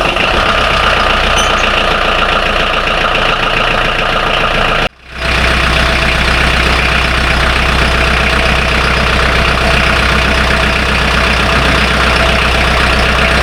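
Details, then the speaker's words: Volvo Penta D2-40 marine diesel on M/V Tortuga idling after an oil and filter change, seacocks open: even diesel clatter at constant idle speed, briefly interrupted midway then steady again; idling normally. "I'm just gonna let it run for a minute or two now this will beep twice when it's ready and then we'll see how it goes"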